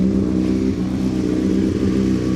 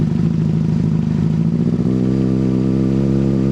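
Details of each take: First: 2005 Honda CBR600RR after dead battery reinstalled following overnight charge, not run for a while; loud, steady four-cylinder idle, even low burble, no knocks or misses, warming up; throttle possibly slightly sticking. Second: 2005 Honda CBR600RR first start after dead battery recharged overnight and refitted, fuel pump primed, bike unridden a while: loud steady high idle surging up and down twice; owner suspects sticking throttle.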